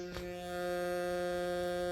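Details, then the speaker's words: Home theatre woofer speaker with steady low buzz at one fixed pitch, unchanged by volume, no music playing; mains humming noise, which disappears once something plays. "अगर आपके speaker में इस प्रकार से humming का noise आ रहा है"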